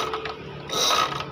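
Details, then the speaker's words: GL Max Neotech motorcycle: starter whirs and the engine spins light and fast with no compression pulses. Cam chain has slipped off at the lower end so the camshaft doesn't turn, typically from a damaged tensioner stud. "ada bunyi mesin starter saja ini seperti ini jadi Ini kemungkinan rantai kecilnya terlepas"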